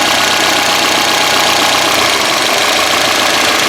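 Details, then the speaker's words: Peugeot 206 with a stumbling idle: unplugging the power steering pressure switch raises the idle slightly but it struggles more, and replugging it drops the idle; uneven, irregular misses, cause not yet found. "when you remove the plug the idle goes higher just a little higher and you should hear is ID don't strugling it's it's struggling a bit more while the idle is uh slightly higher"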